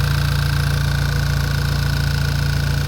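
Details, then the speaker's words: VW MK6 GTI just after intake manifold replacement for a P2015 code, first start with fuel line refilled; steady idle with a light, even tick three or four times a second over the engine hum, source not yet traced; engine ticking at idle. "well at least it runs well it starts it runs um I think we should be should be good I definitely do want to get that tick checked out cuz I don't like that a lot"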